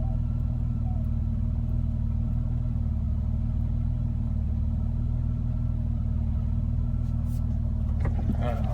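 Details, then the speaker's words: Petrol car after upper cylinder lubricant/injector cleaner and idle set-screw adjustment, in park: steady low idle with no stumbling or stalling; rough idle and stalling at stops fixed. "no rough idle guys Oh piece of cake perfect it's in park and it's going the 100"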